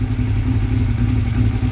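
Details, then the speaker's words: Motorcycle on a cold start, first start of the day, idling low and uneven with a choppy beat as one cylinder cuts out; owner suspects a bad spark plug; misfire. "but you'll hear it it'll it'll cut off one of the cylinders and it'll run real rough so I'm starting to think that my sparkplug might be an issue"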